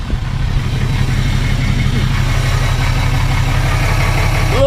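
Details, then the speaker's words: 2018 Cummins 6.7 diesel after fuel filter change and priming: steady even idle clatter, smooth low rumble, no misses or hunting; running normally. "and honestly it sounds perfect it sounds normal as it should so honestly i think we got all the air out we got it primed and we're back in business"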